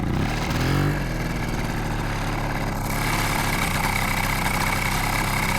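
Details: Di Blasi folding two-stroke moped, just revived after fixing no spark and cleaning a dry carb, ridden in cold weather: after a brief blip it settles into a steady, even idle with no misses after the low idle was raised.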